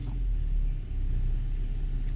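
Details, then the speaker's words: 2012 BMW 528i F10 xDrive, N20 engine, automatic, after its engine computer was replaced with a used one: low, even idle rumble with no skips, and the earlier misfire is gone. "also you remember in the first video there is a misfire i don't believe we have any misfire in this car now"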